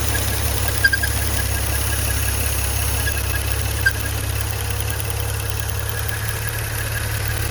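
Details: Maserati Ghibli/Levante V6 at idle: steady low hum with brief high chirps every few seconds, an engine squeak from a holed PCV (oil vapour valve) diaphragm.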